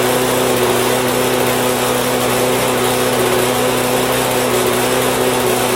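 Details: Husqvarna lawn mower with a Honda engine, running after being fixed from a no-start condition. A smooth, even high-pitched drone at steady speed with no surging or misfires: normal running.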